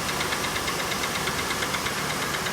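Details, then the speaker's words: 1997 Oldsmobile Cutlass Supreme SL, engine overheated many times; steady idle with sharp regular ticking knock; only code was cylinder 6 not firing correctly, owner suspects bad valve in head at number 6; engine ticking with cylinder 6 misfire. "You can hear a definite knock. Probably about, the only code was there was something wrong with number 6. Wasn't firing correctly."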